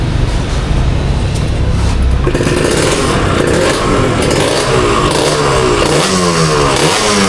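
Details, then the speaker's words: Old Kawasaki Ninja RR two-stroke, revving: raspy, tinny note with a thin crackly edge; the lacking sound is traced to a leaking exhaust header joint, which is to be replaced. "I berarti suara yang kurang tuh dari sini berarti ya. dari kelapotnya merepotnya merepetnya."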